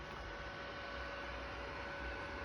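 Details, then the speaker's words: Sony PlayStation 3 fat console just after launching Dead Space 2: a constant airy rush with a faint steady whine, its cooling fan roaring like a vacuum cleaner or fighter jet. The owner is unsure whether this is normal. "так я игру запустил но приставка начала гудить как истребитель"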